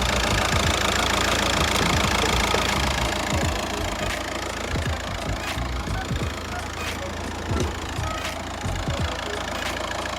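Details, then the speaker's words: 2006 VW Jetta TDI, 1.9 BRM diesel, 5-speed manual, 308,000 miles, salvage car first started on a battery pack: even diesel idle clatter about three to four beats a second, no misses or knocks; running normally. "all right it's it's running how does it sound seems to be running perfectly fine"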